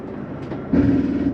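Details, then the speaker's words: 2013 Jayco Jay Flight 29QBH travel trailer slide-out run out from control panel: motor noise jumps to loud, strained buzz for about half a second as slide hits its stop; normal end-of-travel signal. "why don't you to hear that noise that's just a slide mechanism saying I'm in all the way or out all the way"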